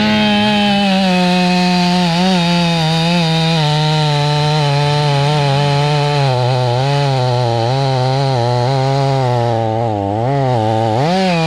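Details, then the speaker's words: Stihl 500i fuel-injected chainsaw with a long bar, longer than 32 inches, cutting a fat knot; engine note sags and wavers as it lugs under too much load; chainsaw bogging down. "all right so i'm getting through but you can kind of hear it's bogging down it's too much it's kind of too much i think 32 is really the sweet spot"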